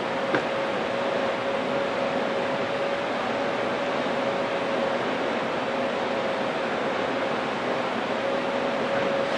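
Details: Fan whose motor locked up minutes after this recording: steady airy rush with a thin constant tone; strained fan motor noise, motor near failure.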